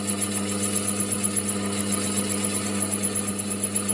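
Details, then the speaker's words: Mini lathe turning an aluminium disc for a humanoid robot part; steady motor hum with rhythmic chatter three or four times a second as the tool bites non-concentric stock each turn. "So the first one we're going to do is this top disc, which you can hear is not perfectly concentric."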